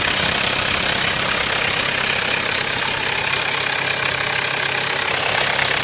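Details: 1993 Mitsubishi Pajero 2.8 diesel, automatic, at idle: a fast, fairly even metallic rattle, about three to four per second, over the diesel clatter. The owner suspects the timing chain; the cause is unconfirmed.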